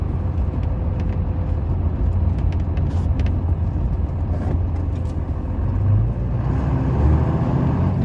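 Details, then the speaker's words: 1995 Dodge Ram 3500 dually 4x4 with a 12-valve 5.9 Cummins and 45k miles, braking hard to a stop on a test drive: only diesel and tyre rumble, with no squeak, clunk or pop and no pull. Pedal is firm; brakes are normal. "truck to a stop no problems stepping on the brakes hard doesn't cause the truck to pull to the side there's no clunks there's no pops the brakes don't even squeak or make any noise at all"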